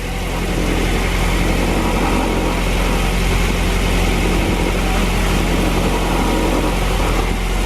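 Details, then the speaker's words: First start of the freshly rebuilt JDM B18C four-cylinder swapped into a 2000 Honda Civic Si (EM1), car on the lift, alternator belt loose; a loud, even idle with a steady low drone and no rattle or ticking, and oil pressure came up immediately. "Good in here? Yeah, oil pressure immediately went out. Nice. This again is just our base, but it's not rattling."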